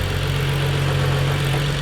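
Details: BMW 335i E90 with N55 engine, salvage car that sat about 6 months, replacement transmission lacking second gear: steady, even low rumble with no knocks, ticks or misses; smooth, healthy idle.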